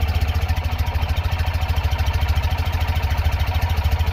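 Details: Tata Nano CNG that stalls right after starting, at idle after spark plugs, cables and fuel pump already replaced: lumpy idle thumping about three times a second with uneven stumbling beats and backfiring; misfire at idle, cause not yet found.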